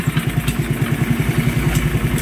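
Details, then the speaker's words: Motorcycle engine idling quietly after a diagnosis of needing an overhaul proved wrong; only the cam and two tappets were replaced, on a flat-slide carburetor. Steady, even thumping idle with no tapping or valve clatter, sounding healthy and standard. "Okay na ang kay sir, ayan, tahimik na, naka-flat slide lang yan. Ayan mga boss, yan ang tunog ng makina niya mga boss. Napakatahimik mga sir, walang ibang pinalitan kundi cam lang at 2 tapit."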